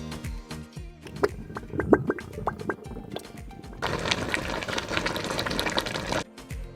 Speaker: the operational activities of the fridge can sometimes produce a boiling or gurgling sound which is completely normal these sounds are caused by the refrigerant flowing through the refrigerator coils especially when the refrigerator compressor works to cool the refrigerator